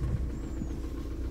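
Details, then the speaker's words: 2000 VW Jetta TDI diesel, warm, after head install with used piston and rod and timing set via VCDS-lite: low steady diesel idle rumble, even beat, no knocks or misses; normal idle, timing in range. "it is warm already so there it is success right"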